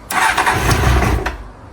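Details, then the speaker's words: Honda Hornet CB600 motorcycle, recently bought, started stone cold on choke: engine fires and runs barely a second, then dies. Starts then cuts out; mechanic suspects a fueling issue, possibly carbs or broken or missing vacuum tubes. "it starts on the choke. It's brick cold at the minute. It's just cutting out. Yeah, it's not having a bar of it."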